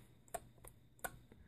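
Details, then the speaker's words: Sunbeam Mixmaster 12 mixer after repair of the on-off switch contact, which had snapped off and shown arc marks: two crisp snaps about 0.7 seconds apart, each with a faint echo click, the detent engaging again. Normal switch click. "That's the on-off switch. That's the click you hear."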